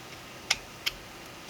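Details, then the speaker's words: 3D-printed single-print 1/2" quick-release reversible ratchet with a socket fitted, after breaking loose the printed parts: three crisp, light clicks as the handle turns clockwise; it won't turn counterclockwise, so the pawl catches cleanly and works normally. "and turn it clockwise. You can hear it clicking, but it can't turn counterclockwise. So this is now functioning."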